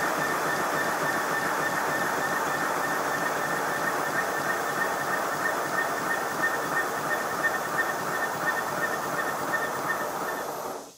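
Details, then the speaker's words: Simplex model steam locomotive converted to GWR Prairie tank, test run with the blast nozzle refitted: steady high whistle over rushing hiss until air is cut; whistling stops with nozzle removed, so the blast nozzle is the acoustic culprit. "yes it's definitely an acoustic problem i fitted a piece of tube down over the end of the blast nozzle and run the engine again and this time it squeaked at high speed but not at low speed"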